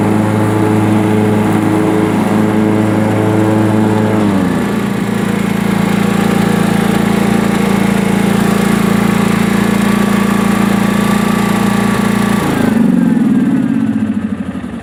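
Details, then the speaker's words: Sears Craftsman Honda 42-inch riding mower, twin cylinder, after backfiring fix, mowing: strong even hum settling smoothly when speed changes, no popping or backfire; running very good and cutting grass nicely. "As you can see, it's running very good, and it's cutting the grass nice now."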